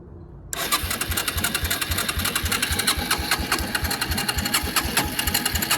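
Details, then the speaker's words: Suzuki Quad Runner LT160 ATV of unknown condition, spark plug just refitted loosely, fuel turned on: steady starter churning at about four compression pulses a second with no firing; cranks but won't start; clogged carburetor suspected, starting fluid next. "Oh, I think I heard something. All right, let me get some starting fluid and see if it then fires up."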